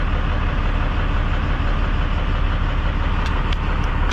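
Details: 12-valve diesel truck just started after long priming crank, no coolant yet: steady deep diesel clatter at idle, even beat, no stumbling or dying; running fine.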